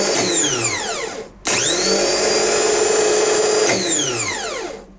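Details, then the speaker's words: Rebuilt Bosch starter motor (from BMW 740 M60 / Jaguar X300 type) on a bench test with new brush holder and brushes: spins up to a clean steady whine, holds evenly, winds down smoothly with no scraping or rattle; normal free spin. "sounds good hope you like the movie hope this helps you repair your starter motor"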